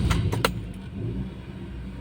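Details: Toyota car after vacuum-leak fix (loose pipe reconnected), just started on LPG, in Park with AC off: a few sharp clicks then a low, steady idle hum with no hunting or surging, normal idle.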